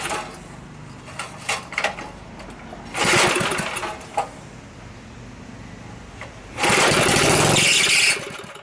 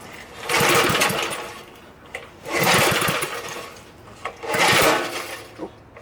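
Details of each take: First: Previously locked-up small Briggs & Stratton engine, oiled inside so smoking, pull-start clatter then catches and buzzes at speed in two short bursts, firing consistently before adding gas; runs normally, recoil screeches, carb/tank need cleaning. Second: Briggs & Stratton small engine, freed after being locked up and a coil jammed on the flywheel, fires in rough surges about every two seconds with sharp pops between them; backfiring traced to a sheared flywheel key that threw the timing out.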